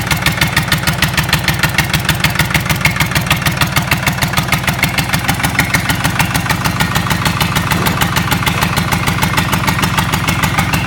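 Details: Lister Petter SR3 air-cooled diesel after rebuild: even, steady diesel chug at about 80 firing pulses a minute with no knocks or misses; runs smoothly and healthy.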